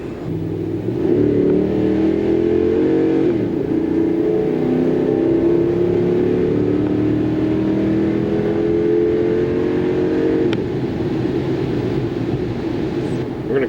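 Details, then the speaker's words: 2013 Dodge Ram 5.7 Hemi on a test drive after a spark plug change. Previously there was a lag and sputter on acceleration; now the pitch climbs smoothly under throttle with no stumble. Normal acceleration. "okay i think that's fixed my problem uh before whenever i would accelerate i'd hear this lag kind of a sputter but now not bad sounds like it did when i bought it"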